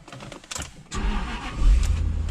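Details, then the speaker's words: Jaguar V8 sitting on pavement with a dead battery, started using a TackLife T8 Pro jump pack. Short crank, then catches straight away and settles into steady even low rumble: normal crank and start. "I can't believe that that thing just started Jaguar."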